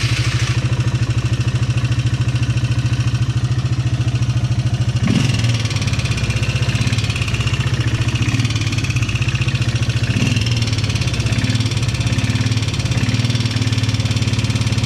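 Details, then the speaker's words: Polaris Sportsman 300 single-cylinder ATV at idle after a new timing chain and some new springs: steady light top-end tapping over the even thump, and it goes away; not the timing chain, probably not piston slap, owner suspects valves need adjusting. "Sounds like top end to me, but it goes away. I thought maybe it was piston slap, but I don't think it's that either."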